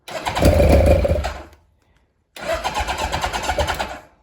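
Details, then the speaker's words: Kawasaki KZ1000 police bike after engine swap, first run in many years: two bursts of fast, even starter cranking with no firing; out of fuel, carburettors ran dry. "I think it'll start up again I think it's at a gas but"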